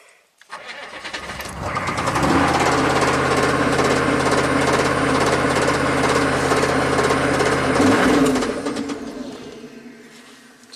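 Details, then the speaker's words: Chevy 6.5 turbo diesel truck with runaway idle from suspected PCM over-fueling, started on a jump pack over weak batteries: steady low rhythmic knock about three per second at idle; owner hopes it isn't a rod knock developing. "I hope that's not a rod knock developing because if it is it's game over"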